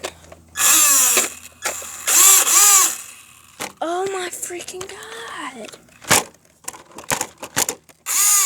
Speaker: oh god i'm pressing the gas but it's not doing nothing that ain't good oh god oh my god something's wrong with